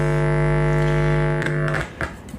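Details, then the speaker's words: Car audio subwoofer amp playing a clipped 50 Hz test tone: harsh, buzzy rather than pure, amplifier clipping from gain set too high. "And then back down here to 50 hertz clipped. You hear that sound?"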